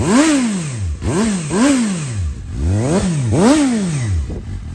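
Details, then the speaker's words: 2012 Suzuki GSR750 with 18,000 km and Yoshimura carbon exhaust, dropped with cosmetic damage; four quick throttle blips, revs snap up and fall cleanly with a deep, crisp exhaust note; healthy, responsive engine. "does sound really really nice beautiful bite cool"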